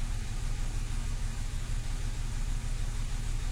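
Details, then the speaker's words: Renault Clio II 1.4 16v petrol after fuel pump replacement: low, wavering idle that won't settle; idle still unstable, repair not yet successful, cause unclear. "bon la voiture a démarré mais le problème est toujours là ralenti instable donc pas de succès encore"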